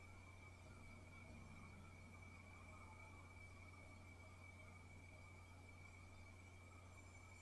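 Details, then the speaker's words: Synology DS415+ NAS with four 4TB WD Red drives at first boot, microphone about 2 ft (0.5 m) away in a quiet room: very faint low hum and a thin high tone, no clicks or grinding. Normal, quiet running. "as you can hear from that audio test it is pretty quiet I don't know if it will make more noise as it's uh accessing the discs"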